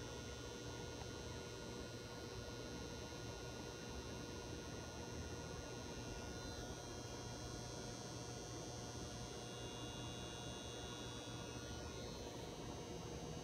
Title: Old, noisy fluorescent light bulb